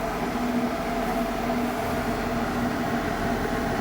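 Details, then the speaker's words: Steady hum with a constant ~200 Hz tone and higher whine, vibrating slightly into the living space: the outside compressor of a newly installed 12/24V off-grid mini-split air conditioner on a 1987 Mercedes-Benz Unimog 1300L camper, just charged with refrigerant, running normally while cooling. "Oh yeah, I can hear the compressor. It's actually vibrating in the house a little bit."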